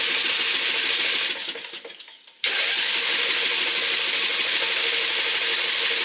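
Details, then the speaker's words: Craftsman riding mower with a Briggs engine after a carburetor rebuild: steady rapid cranking chug that never catches. No fuel gets through because the jet was reinstalled from the wrong side after the float assembly was removed. "getting no fuel at all now. So I had to tear back into it to see what the problem was."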